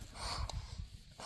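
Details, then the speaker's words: 1993 Plymouth Grand Voyager SE brake booster, removed and pressed by hand: short breathy whooshes as air rushes through instead of holding. The diaphragm inside is blown, unlike a good booster that stays silent. "So the, whatever you want to call it in their diaphragm, is blown in some fashion."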